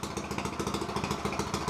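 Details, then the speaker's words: Harbor Freight Predator 212 single swapped into 2006 Yamaha YZ85 frame, first run, no exhaust fitted yet: sharp raw popping at fast steady idle with crackly bark each firing stroke. "we're definitely gonna need to get an exhaust the exhaust didn't come in time either if you couldn't tell ready to go piss all the neighbors off"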